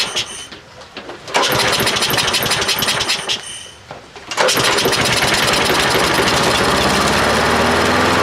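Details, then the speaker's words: Troy-Bilt 12AV566N011 mower with automatic choke, fuelled but not primed: catches briefly and dies twice, then fires and settles; hard starting from flooding, with a filthy carburetor and a sticking needle valve overfilling the float bowl. "okay diagnosis carburetors filthy the bowl since the the needle valve was hanging up the float too much gas is flowing the problem we have is a dirty carb"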